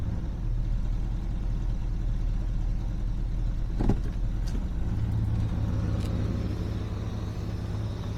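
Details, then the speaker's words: 1976 Mercury Marquis, after a no-spark no-start repair, idling with the transmission in gear under load: low, smooth rumble stays steady with no stumble or miss; fixed. "now the question is what does it do when I put it in gear so we're going to put it in gear under load and see what happens"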